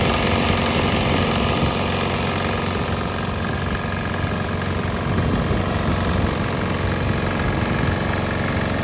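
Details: Swan X 165F Chinese single-cylinder diesel running on straight used canola (fryer) oil; even, steady chug at constant fast idle, no misses or knocks; normal running.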